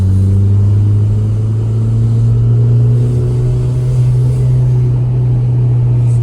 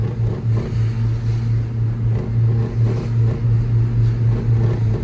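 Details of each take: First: Saab 900 (new generation) on a test drive after its dashboard rattle was fixed with super glue, motor mounts checked good: steady low engine and road drone with no buzzing or rattling from the dash or door; no interior rattle. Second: New-generation Saab 900 in first gear around 3000 rpm: steady low engine drone with a faint buzzing rattle, first blamed on the dashboard but traced to a loose side mirror held by clips.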